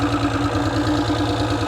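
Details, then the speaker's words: Mercury 225 outboard at idle after sitting unused a few months, hiccuping once in a while: steady, even idle with smooth low throb and no knocks, misses or rattles; sounds really good, running healthy. "Yeah, man, that sounds really, really good, man."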